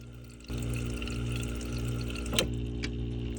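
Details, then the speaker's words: Whirlpool refrigerator ice maker, tested after optic eyes replacement: a low hum as the water valve opens and a steady trickle fills the tray; normal ice maker water fill. "That filled. That's it. Yeah. Go ahead and secure that."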